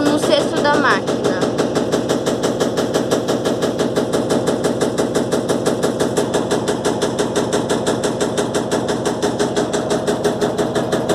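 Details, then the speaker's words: Electrolux LTE12 washing machine, suspension test, heard from behind: loud, even knocking about two per second as the hose bangs the drum on each turn. "Gente, esse barulho é que a mangueira tá"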